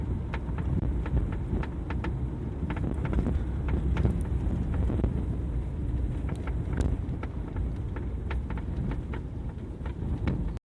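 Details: Renault Fluence coasting in neutral on the road: sharp, irregular knocks about two a second over road and wind rumble, heard from the door side; the source is unknown.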